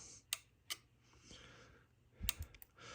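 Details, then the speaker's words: Yaesu FT-757GX radio, power button pressed: faint separate clicks about half a second apart then a small cluster, no fan or hum following; relay clicks but no power-up, owner suspects CPU clock crystal, unconfirmed. "so yeah so when I hit the power button you can hear the relay key we're clicking and then the fan doesn't goom that means it's it's not booting"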